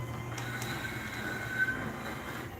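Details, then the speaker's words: Newly swapped garage door opener running the door up: a steady mid-high motor whine over a low hum, quieter than expected. Motor whine, cause unclear. "yeah it's whiny but it's honestly a lot quieter than I thought it would be"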